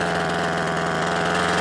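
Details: Parkside hedge trimmer that kept cutting out after two or three minutes, after carburetor repair, started on full then half choke: small two-stroke buzzing at steady fast idle, even drone, no stumbles; runs cleanly.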